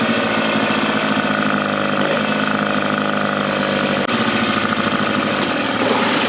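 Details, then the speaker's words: Mercury 9.9 outboard, upgraded to 15 hp carb and new spark plugs, revived after years of sitting, run in a test tank for over 10 minutes: steady even idle with low hum, no misses, surges or stalling. "okay guys so the motor was running over 10 minutes and didn't stall out or anything"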